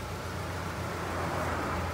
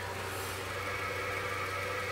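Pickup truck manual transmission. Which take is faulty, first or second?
second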